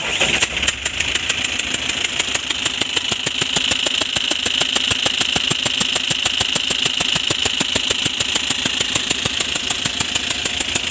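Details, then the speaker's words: Eicher BS6 diesel truck at the workshop with an engine noise complaint, idling after start: sharp, regular ticking over the idle. Mechanic judges number one injector O-ring/seal failed. Injector seal leak. "ఇది nozzle పోయినట్టుగా sound వస్తుంది. Nozzle ఓరిగిపోయినట్టుగా చూసుకొని మనం rectify చేద్దాం."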